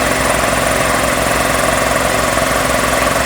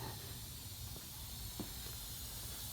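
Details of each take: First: Magna Force air compressor after repairs with a new start capacitor and new filter; a known air leak remains. Steady, even motor-and-pump drone with a regular thump about 160 a minute, no stalling or straining: running normally. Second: Magna Force air compressor being repaired, with a known leak at a fitting and a gauge still to be replaced. Steady hiss of escaping air over a low hum, with no motor cycling, as the tank bleeds down. Compressed air leak.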